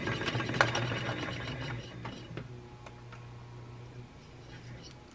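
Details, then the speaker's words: 1956 RCA 7-TR-2 reel-to-reel tape recorder: the motor hums and strains, the transport doesn't get going without a push, and the mechanism appears gummed up and may need lubrication. Motor humming and straining, transport sticking. "You can hear the motor's humming, which means it's struggling and it's not quite getting there. It goes if I give it a little help."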